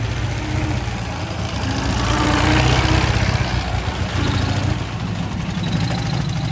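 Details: Ural motorcycle twin at idle: loose, slightly uneven knocking about four per second over low thump; someone wonders if generator brushes at low revs; source unconfirmed; engine knock at idle.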